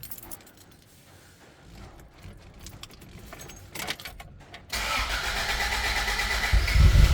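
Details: Toyota AE93 Corolla SX Seca, 4AGE small-port engine just torn down and rebuilt after burning about a litre of oil weekly; keys jingle, quick crank, catches and settles into an even, steady healthy idle.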